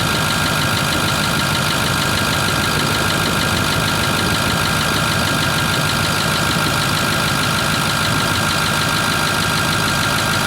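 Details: Ford F250 6.4 diesel, just started and not yet warmed up. Cold idle runs fast with a loud, busy clatter all through; an abnormal engine noise whose source isn't identified.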